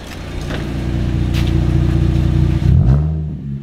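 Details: Holden Commodore, revved: deep burbling climbs steadily in pitch, then crackles and drops back; a healthy six with a loud exhaust.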